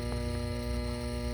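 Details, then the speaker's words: Home furnace inducer fan motor, energized with a steady hum and grinding felt in it but not spinning; seized, third time this part has failed. "sounds like it's not going to turn because all that grinding noise in here that's this making that noise i can feel it too"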